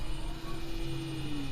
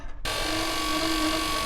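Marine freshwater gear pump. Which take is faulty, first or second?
second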